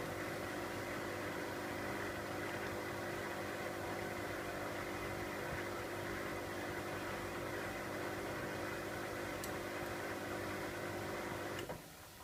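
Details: Miele W562 Prestige Plus 6 washing machine, Cottons 60°C with Water Plus; steady whirring hum holds level then fades as the drum coasts to a stop after a long, balancing spin; normal spin run-down.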